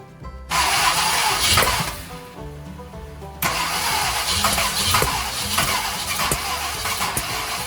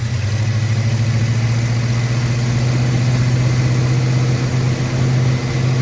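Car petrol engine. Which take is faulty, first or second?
first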